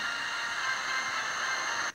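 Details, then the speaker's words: 2P3 superheterodyne AM medium-wave radio on 3 V bench supply, tuned off the IF frequency: even hiss with faint programme, no whistle, no oscillation; owner suspects IF transistor amplifies too much. "und da schwingt es nicht mehr."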